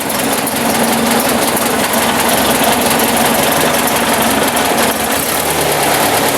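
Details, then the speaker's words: 1954 Ford Jubilee NAA tractor, 134ci four-cylinder, idling after a Pertronix 1244A electronic ignition conversion: steady, even idle with good timing and no misses, stumbles or bogging, smoother than before. "I would say that is a successful conversion. Timing sounds good too. No bogging. Nice smooth idle."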